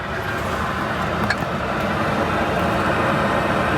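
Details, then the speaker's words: Air conditioner newly installed in a bus, ducted through a 4-inch pipe: the compressor kicks on about three minutes after switch-on, and a steady rushing hum settles into an even run with no rattles or squeals; healthy. "But yeah, it takes about 3 minutes before that compressor actually fires up in there. All right, there we go, just kicked on."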